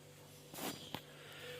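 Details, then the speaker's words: Whirlpool refrigerator that hummed loudly from the compressor, after repair, recharge and rewiring the new compressor's connections: quiet, steady low hum running smoothly with no extra noise, a brief rustle and click. "вот так вот он тихо теперь спокойненько работает без лишних шумов"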